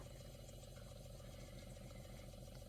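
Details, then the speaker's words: APEC electric-pumped reverse osmosis system booster pump motor, running while the tank fills a second time: very faint, steady low hum, even tone, no rattle or grinding; very quiet, normal. "I don't know if you can hear it. It's very, very quiet."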